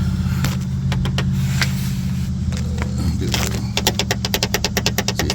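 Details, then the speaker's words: Mazdaspeed 6 transfer case half shaft (input shaft) rocked by hand over steady idle hum: sharp metallic clicks and clunks from play, believed source of the clunking heard from suspension. Suspected, not confirmed. "not supposed to make it's not supposed to make that noise. So, I believe that's where the issue is coming from from that half shaft right there."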